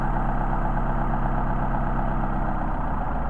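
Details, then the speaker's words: Mercedes 190SL Solex carburetor on test: a low idle pulsing that starts to stumble as the idle mixture screw is turned in too far, then recovers when it is backed out to the best idle. "again you can hear the idle degrading and back it out and then here easy Idol degrading"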